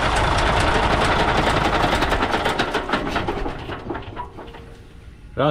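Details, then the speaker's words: Diesel engine at idle with a bent valve pushrod and no lubricating oil reaching the front: a sharp, hard knock about 220 per minute until it winds down, as compressed gas is not released at the right time. "mình thấy cái tiếng kêu rất khó chịu đúng không ? rất là đanh. đó là cái việc mà cái khí nén bên trong nó không được giải tỏa đúng thời điểm, Tại vì nó đang bị cong cái đũa đẩy này , cong cái đũa đẩy này thì dẫn đến là nó sẽ không xả được hoàn toàn , khi mà nó nén nó có tiếng kêu như vậy đấy ."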